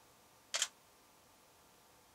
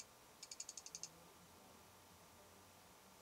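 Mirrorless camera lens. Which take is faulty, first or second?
second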